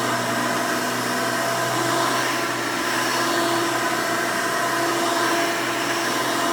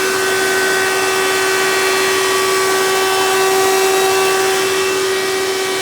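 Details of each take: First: 1992 Hoover Elite II Total System Performance 650 upright vacuum, model U4689-910, bought used, motor untouched: loud, steady high-pitched roar, constant tone, no rattles or surging. Runs very smooth and sounds good. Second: 1992 Hoover Elite II 650 upright vacuum, model U4689-910, in tool mode with hose attached (direct-air fan): loud steady high whine over airflow rush. Runs loud; owner suspects dry motor bearings from little tool use, may oil them.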